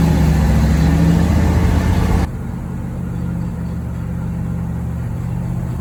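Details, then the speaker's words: 1973 Corvette V8, first drive in 5 years, shakedown: loud rough droning growl that falls away sharply; power steering pulley wiggles loose and pump possibly dry, no power steering assist. "That crazy noise I was hearing, I can take the power steering pulley and wiggle it back and forth."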